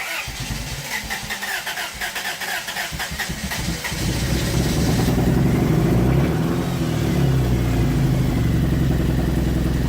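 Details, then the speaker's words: 1992 Toyota Corolla, muffler removed, started after replacing the ambient air temperature sensor: uneven cranking, then an unsteady wandering idle. It now holds idle without the throttle but still runs rough; diagnosis ongoing. "Any better? Somewhat. Slightly. Slightly. Like I don't have to floor it to get it, but if I let go, it'll stay."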